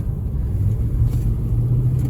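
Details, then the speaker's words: 2005 Nissan Armada SE 5.6 V8 4WD, after exhaust manifold and passenger-side catalytic converter replacement, cruising: low even engine drone with no knocks, flare or slipping; runs well and shifts perfectly, though cabin rattles and a possible wheel bearing noted. "Oh man, she still runs so good. Golly bum."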